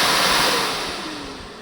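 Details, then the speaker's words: Repaired BMW G310 R radiator fan motor (brushes refitted, wire joint resoldered) running on the bench at 12 volts: a steady airy rush with a faint motor hum that fades as it spins down; it works normally. "I guess this is going to work for a while for me. I'm okay with that noise."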